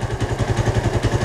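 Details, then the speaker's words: Suzuki Satria FU 150 fitted with a Yamaha RX-King carburetor, just kick-started: even, steady idle with regular exhaust pulses around twelve a second, no misses or hunting; normal stable idle. "nah dan untuk hidupnya juga sangat gampang yes coba kita geber RPM saya untuk langsam juga stabil"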